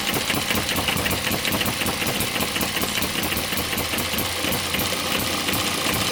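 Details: Model engine driving a Baker fan load: fast steady clatter with sharp ticking, pulling hard and sounding healthy; normal running under load.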